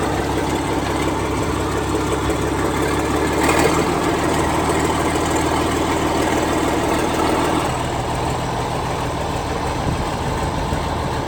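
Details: Old Case tractor after fixing a no-run caused by moisture in its very old distributor (dried out, points filed): steady, even low chug, no misses or stumbles, all cylinders firing cleanly; normal idle.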